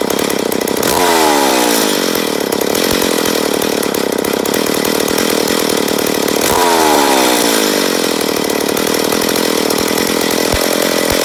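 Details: McCulloch Pro Mac 850 chainsaw, first start after rebuild, carb being adjusted: loud two-stroke buzz surging and sagging twice, rough uneven revs; owner suspects an air leak on the flywheel side.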